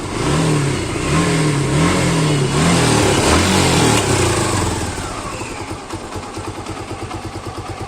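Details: Suzuki Gixxer single-cylinder motorcycle engine: blips rise and fall cleanly, then it drops to an even putter with no ticking or rattle. Normal, healthy revving.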